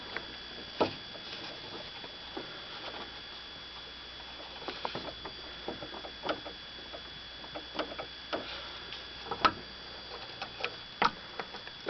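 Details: Toyota Avensis T25, suspected suspension knock: scattered light knocks at irregular intervals over a quiet cabin, caused by an unsecured brake line left as a factory defect with no rubber grommet fitted.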